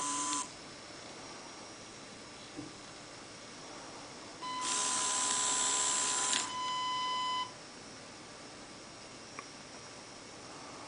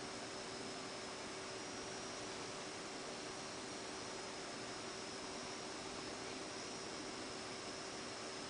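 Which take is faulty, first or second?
second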